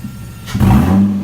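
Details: 2005 Nissan 350Z after P0021 fix (cam and crank sensors replaced): clean idle then two quick crisp blips rising and settling smoothly, no rattle or stumble. Normal revving.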